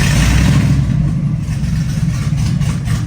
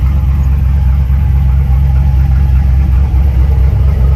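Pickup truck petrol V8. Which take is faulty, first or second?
first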